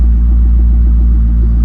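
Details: 2005 Corvette C6 manual with intermittent hot no-start and column lock message, started by bypassing the relay with a switch: deep, steady low rumble with even firing and no knocks or misses; V8 idling normally.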